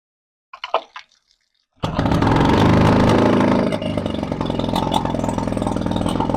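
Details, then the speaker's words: 1962 Viking 15 hp two-stroke outboard after new coils (CDI upgrade), point setting and carburetor work, running on a hose with the impeller pumping well: crisp, even fast-idle buzz with no misses; runs nicely, only the lower unit still to do. "So, uh I think all we have to do is the lower unit, but I will give you a nice long view of this thing running. And it runs pretty nicely."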